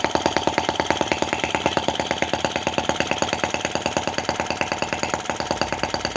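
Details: Brass half-tracked Lanz-type T16B model tractor on its first run. Crisp, evenly spaced pops about three a second, steady and unhurried, just the slow revving hoped for: normal idle.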